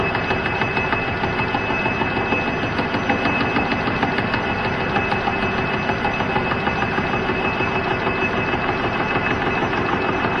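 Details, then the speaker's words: Boring bar cutting inside a welded part: steady cutting roar with a dull thump about three times a second as the bar hits the hardened weld seam each turn, until cut is through. "yeah you can really hear the thumping as that hardened weld comes around okay so that sounds like it's through"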